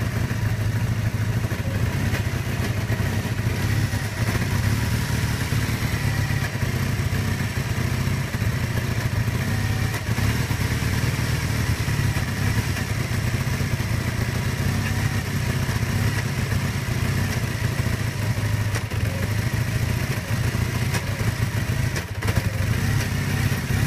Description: kawasaki kz440B 1981, 7k miles, rough idle. Choke is set about half-way.